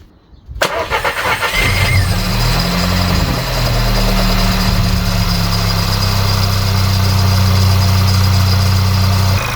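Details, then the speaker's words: VW Polo 1.2 TSI after new spark plugs, air filter and throttle body cleaning, previously misfiring: cranks, catches quickly and settles into a quiet, steady idle without obvious stumbling. "look at that now that engine is sticking over really nice it's quiet the only I can do is the exhaust"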